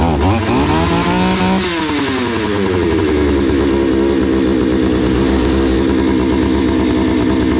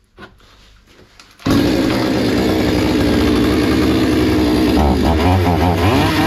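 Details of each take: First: Hyundai 650 two-stroke chainsaw before repair: revs up with a rising buzz, holds a thin, hunting high run, then dies abruptly; stalls after starting, fuel supply seems insufficient, lean running; filter not clogged, settings untouched. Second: Hyundai 650 two-stroke chainsaw after repair (fuel adjustment opened slightly after it was starving): fires up and holds a steady, even high-pitched buzz with no stumbling or surging — normal running.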